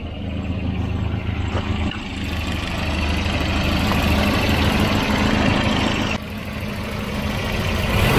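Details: Volvo 240 with a Redblock B230 four-cylinder petrol engine, the quiet replacement motor, unlike the piston-slapping one. It holds an even, sewing-machine-smooth idle with no knocking or slapping.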